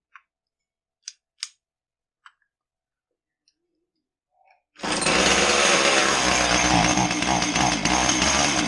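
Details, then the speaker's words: Husqvarna 450 chainsaw with aftermarket coil and carb, well-worn cylinder; fires into harsh ragged missing buzz, won't rev, starts backwards; coil jumps to full spark advance at low speed, firing before TDC. "So it would start backwards. It ran very poorly. You could hear it missing. It wouldn't rev up decent. That could all be signs of a lot of spark advance at a low engine speed."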